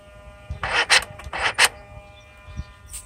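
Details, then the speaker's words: Mercedes SL600 with overhauled electronic throttle body, ignition on and engine off: two quick pairs of sharp electric whirs as the driver- and passenger-side throttle plates snap open and shut; both actuators respond cleanly. "check with the ignition on engine off to see for throttles are active so here is the noise from the driver's side"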